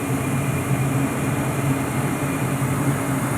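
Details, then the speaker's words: Lennox Elite Series furnace, Fasco inducer motor, burners lit, main blower not yet on: steady, even low hum with faint higher tone, no rattle or wobble; inducer running smooth and balanced. "there's the burners going very nice swings and I'm not well you can hear it but the Agusta motor is running very well"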